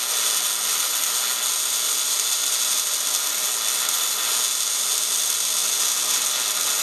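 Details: MIG welding at 200 inches per minute wire speed and 16.5 volts, drag technique close in, with big nozzle: steady, even crackling hiss, no pops or sputter; wire feed and voltage well set.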